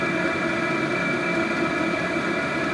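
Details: HCALORY 5-8kW diesel heater turned up to full heat, on a Bluetti AC180 power station via a 250 W driver, drawing about 50-56 W: steady whir and hum with faint ticking fuel pump, no surging or sputter; normal full-output running.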